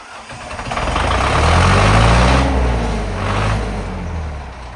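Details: 5718 Zetro truck diesel, first start after sitting five years, with the stuck excess fuel button freed: the engine catches and swells into a deep, steady chugging that settles to about four firings a second. Diesel engine running.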